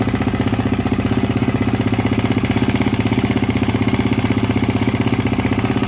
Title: G450X noisy while cold